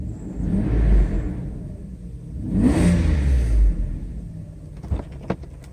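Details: Mercedes 140-chassis test car, after a repaired E-gas throttle control module was installed and a 30–40 mile trip; loud fan clutch set to engage early: two clean pulls, engine note rising smoothly and strongly, settling without stumble; healthy.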